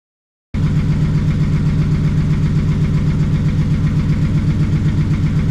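Steady deep idle with an even low pulse of about four per second; the six runs smoothly with no knocks or misses.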